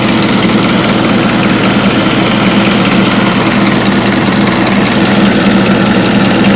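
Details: Ford Model T four-cylinder just after refitting its rebuilt carburetor: a steady, even low chug with no misses or knocks. A healthy idle.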